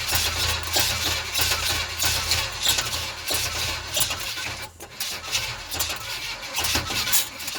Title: Crank no start 350 gmc